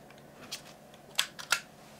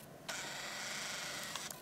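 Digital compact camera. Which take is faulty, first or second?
first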